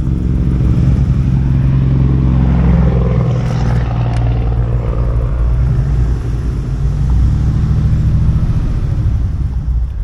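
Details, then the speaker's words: Restored 1947 Mercury Eight Coupe with a Ford fuel-injected 302, just fired up cold after sitting a couple of years on old gas. Deep, uneven low rumble whose beat wanders and never settles; the bad gas is suspected. Rough cold running before it idles. "still a little cold blooded huh I bet that crappy gas it's not happy about huh"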